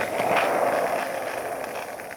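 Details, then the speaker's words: Cheap $5 skateboard wheels on a short roll: loud coarse rolling roar fading as the board slows, then a couple of clacks; bearings possibly at fault, wheels roll rough and noisy. "sounds terrible. Hold up. Oh yeah, that sounds bad."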